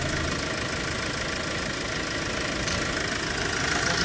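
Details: Hyundai Porter II D4CB Euro 4 diesel with low power: sharp, rhythmic chuff and tick on every firing at idle; combustion blow-by past a leaking injector sealing washer.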